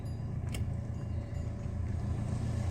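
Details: Hyundai Verna automatic, DTCs cleared (earlier P0748, reverse shift-shock, 3rd gear hold complaint): low steady engine drone pulling away up a slope, revs staying under 1000 RPM with no flare or hang; gearbox driving normally.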